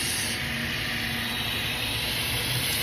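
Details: 2015 Holden Astra 1.6 at idle, customer complaint of whistling and rough idle with high long- and short-term fuel trims: constant sharp hiss; vacuum leak through faulty PCV valve.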